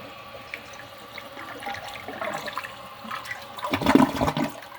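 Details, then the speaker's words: Kohler San Rafael Water Guard elongated toilet, about 8 years in service: a soft trickle builds into a short gurgling rush as the siphon catches, then tails off. The flush is quiet enough that water running through the trapway is audible; normal quiet flush. "you probably can't tell in the video but this toilet actually flushes so quiet that you can hear the sound of the water actually running through the trapway of the toilet"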